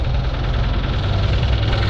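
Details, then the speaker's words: Toyota Wigo, engine noisy after heavy rain when water entered the air cleaner via clogged wiper drainage, heard from underneath: heavy, fast, deep knocking through the idle, loud and constant. "So ganyan yung ingay ng kanyang Toyota Wego guys, no, na dinala sa atin. Sobrang ingay."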